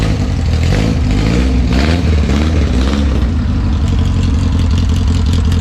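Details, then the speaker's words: 1974 VW Bus that sat over 10 years, running a non-original engine, back on the road and driving fine; a brief rev, then a deep, steady air-cooled idle that sounds healthy and properly fueled. Normal idle. "no engine and now it's back on the road driving just fine the brakes work I adjust the clutch it seems to be doing fine"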